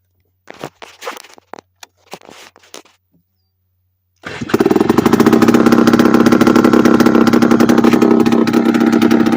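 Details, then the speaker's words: Late-1990s Polaris Explorer two-stroke ATV run two years with no exhaust: loud open crackle settling into a fast, raspy idle that sits so high it often will not shift into high gear; high idle blamed on the missing exhaust. "a lot of the time it idles high so high that it will not shift in the high"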